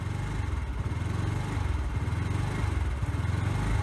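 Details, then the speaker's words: Sym Jet 14 fuel-injected scooter started with idle slightly misadjusted: low thumping idle rising and sagging about once a second, hunting; cause unclear, overheating ECU suspected. "hier kann man sehen dass der Roller die Drehzahl kurz erhöht dann wieder absenkt kurz erhöht und dann wieder absenkt"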